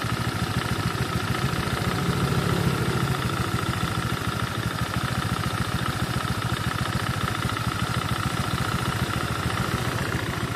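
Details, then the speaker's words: Honda Vario scooter that burns and leaks oil and runs rough, idling on its stand with the CVT cover removed: a steady knock about three a second remains, so it comes from inside the engine, not the CVT or roller housing. Suspected conrod or crankshaft area. "Oke teman-teman, ini suaranya dari dalam mesin. Saya juga tadi agak masih ragu kalau bisa jadi itu suara CVT, rumah roller atau apa di sana."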